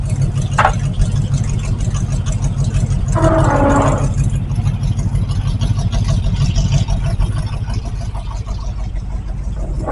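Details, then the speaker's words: 1968 Camaro with its original 327 V8 and a freshly installed Muncie 4-speed, restarted after reseating a cockeyed distributor cap: a steady, loping V8 idle with an even low rumble and no misses, sounding better and healthy. "What do you think? Sounds better."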